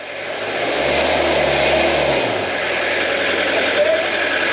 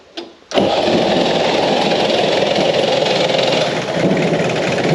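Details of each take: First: Peugeot P4 (Mercedes G Wagon-based, ex-French army) 2.5 Peugeot diesel under restoration, throttle blipped while exhaust is checked: diesel rattle swells smoothly and eases back to steady idle, no misfire or knock, exhaust clean; normal revving. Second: Peugeot P4 (military G-Wagon) diesel started after glow-plug heating, settling into an uneven, lumpy, sagging idle. It won't run any better and cuts out when revved; air got into the system after the new fuel supply was fitted.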